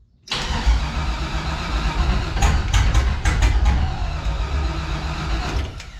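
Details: LS-swapped, supercharged 1984 G-body Cutlass on Holley Terminator X EFI, throttle body opened slightly: starter cranks steadily about three beats a second with sharp clicks, fuel pump primes, but engine never catches; crank, no start.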